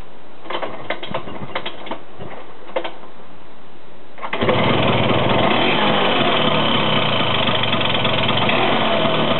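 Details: High-pitched engine noise from a Vespa 125: a few light clicks, then the small engine catches and runs at a fast steady beat with a thin high-pitched edge; cause unclear.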